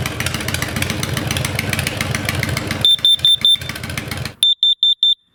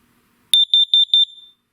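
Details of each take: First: Kidde KN-COPP-B-LPM carbon monoxide alarm placed behind an idling motorcycle's exhaust; engine idle with shrill alarm chirping in quick sets of four, triggered by exhaust CO. Reading later dropped back to 0. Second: Kidde KN-COPP-B-LPM carbon monoxide alarm with peak-level meter, test button pressed: four quick, shrill beeps around 3.5 kHz, then it resets; normal self-test.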